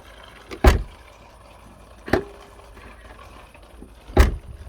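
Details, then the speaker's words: BMW E39 trunk lock after repair: the broken mechanism spring was stretched and reshaped, and the lock reassembled and tested. Three crisp, clean latching clunks with no grinding or rattle; the mechanism works properly. "Ашылмайды. Механизм жұмыс істеп тұр."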